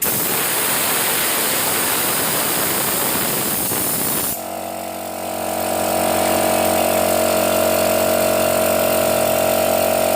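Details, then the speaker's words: Used portable direct-drive air compressor, cover missing: air bled off from the tank for about four seconds, then the motor restarts with a steady hum as pressure drops; pressure switch cuts back in normally. "Jadi otomatis ini masih normal Ketika angin penuh otomatis mati Ketika angin dibuang atau dipakai kembali turun kembali on sudah bisa dipastikan otomatis ini masih normal"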